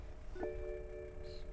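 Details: 2010 BMW 535i GT: key recognised, two soft dash chimes and a faint beep, rear air-suspension pump running, but no cranking at all; engine will not crank, cause unknown.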